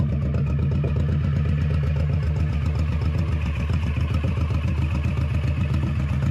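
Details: 21-year-old Honda Shadow V-twin with new Vance & Hines exhaust, baffle repacked with new fiberglass: deep, steady, loping rumble with even beat, no rasp, mellow deeper tone; normal exhaust tone.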